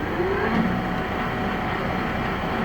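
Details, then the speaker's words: Heyligenstaedt 400A/30 lathe, 32" x 222", running possibly around 180 RPM after 450 RPM: steady even mechanical hum, no knocks or clatter; gearbox quiet, turning smoothly. "I think the important thing is you can hear the gearbox nice and quiet not that you would go that fast"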